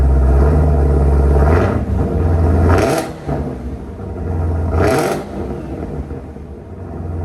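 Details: 2018 Camaro ZL1 V8 before cam and Katech oil pump swap: fires with a deep rumble and a couple of blips, then drops to a steady, even low idle with no knocks or misses.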